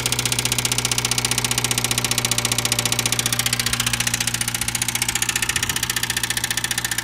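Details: Subaru Sambar GD-TT2 at idle: a fast, even rattle of about four per second from deep inside the engine, cause unclear. Internal engine rattle.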